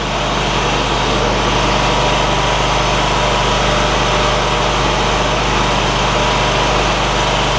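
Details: John Deere ZTrak zero turn, Kohler V-twin, sat 2 years: steady even running with light ticking of oak leaf debris hitting the cooling fan; engine healthy.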